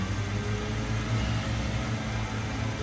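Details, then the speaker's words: 2015 Chevrolet Camaro at auction, started on a jump box: smooth, even low hum at a steady idle with no knocks, ticks or misses. Normal idle. "So, this one sounds really nice. Engine on this sounds really good."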